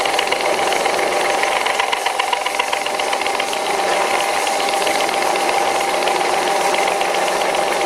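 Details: Cutting chatter on an old WW2-era Fischer lathe, first cut after swapping the slipping flat belt for a V-belt: harsh gritty rattle with a steady high ring through the whole cut; owner calls it pretty bad.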